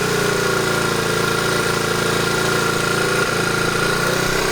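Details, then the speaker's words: 1970 Honda Trail 90 stored 20 years, after fuel system cleaning, running a mix of new and 20-year-old gas, off choke: steady single-cylinder idle with no clattering or knocks and a little smoke, probably from old gas. "But as far as the engine itself, I don't hear any clattering, no knocking. Sounds like a 1,000-mile engine."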